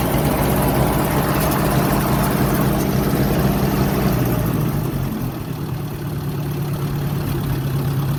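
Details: 1958 Ford tractor after cleaning dirty ignition points, gap near 20 thou: engine runs fairly steadily at a low drone, dipping briefly as throttle changes, then settling; a little flooded at first, now running fine.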